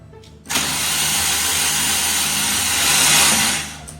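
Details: Fiat Punto (Copart purchase) cranking after engine work with a fresh battery: steady high whir for three seconds with no cylinder pulses or firing, spinning freely with zero compression; still no spark, timing suspect.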